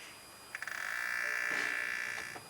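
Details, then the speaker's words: BMW N54 electric water pump screeches steadily for about a second and a half, then fades, when the pump is triggered by pressing the gas pedal for ten seconds; the pump is trying to move coolant but has failed. "So I'm pretty sure you guys heard that, but that's my water pump trying to pump coolant into my reservoir. One way to tell is that, obviously if you hear that noise, you know it's toast."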